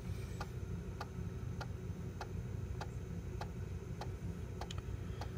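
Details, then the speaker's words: Macintosh PowerBook 165 floppy drive, just woken up with a disk inserted: sharp dry clicks about every 0.6 seconds over a low hum with a quick double tick near the end; drive sounds rough, owner hopes running it a while may cure it. "their drive does kinda sound like a thick cow I wonder if letting it run for a little while might be even cure for it"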